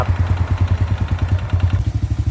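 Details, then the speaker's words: Honda Dream Kurusapha single-cylinder engine at idle after a rebuild with all internal bearings replaced, which fixed the customer's loud-engine complaint: an even, quiet thump with no knocking or clatter; normal idle. "ครับเงียบใช้ได้เลยครับนี่ครับน่าจะเป็นเสียงเนี่ย"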